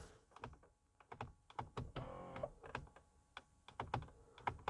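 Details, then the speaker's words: Mercedes W220 S-class with "entrance position do not drive" fault, steering column module during bidirectional test/normalization: sharp irregular relay clicks with no motor whir, steering wheel not moving; relays clicking without the adjuster motor running. "Yes, but the steering wheel doesn't move. I can hear the relays clicking, but nothing happens on the steering wheel."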